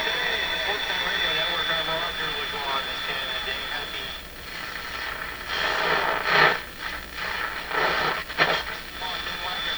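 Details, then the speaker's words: Sony TR712 transistor radio after replacing three small green capacitors: still plays with a harsh fuzzy edge on voices and music over hiss; distortion unchanged, cause unknown. "[Applause] well i think it has exactly the same uh fuzzy sort of sound to it again you could listen to this radio but it's not where it could be"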